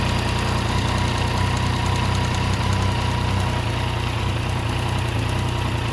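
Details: Yamaha MT-09 at steady idle with a rough, uneven knocking tick about four per second riding over the engine; abnormal internal engine noise, cause unknown.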